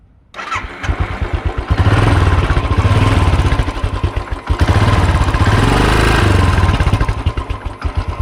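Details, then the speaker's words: Royal Enfield Continental GT 535 after a major service and oil change, unused for almost a year: catches at once, then a firm, even single-cylinder thump through two blips. Engine clattering is reduced after the service, and it sounds healthy. "Plus oil change ಮಾಡಿ engine noise ಸ್ವಲ್ಪ ಕಮ್ಮಿ ಆಗಿದೆ. ಮೊದಲು ಅದು ಕ್ಲಟರಿಂಗ್ ಎಲ್ಲ ಬರುತ್ತಲ್ಲ, engine ಕ್ಲಟರಿಂಗ್ ಅದು ಕಮ್ಮಿ ಆಗಿದೆ ಈಗ."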